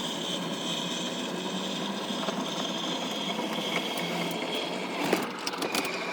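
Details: Sea Ray Sundancer 320 boat with a 350 Mercury MAG engine running steadily: even mechanical hum with no misses or knocks, some handling clatter near the end; normal running after a broken fuel-pump mini fuse had shut the engine down.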